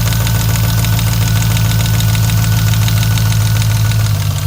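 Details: 2002 Jeep Grand Cherokee 4.7L HO V8 at idle with a deep, steady knock about three a second; oil pan removal found rear main bearing shot and multiple rod bearings with slop; rod bearing knock.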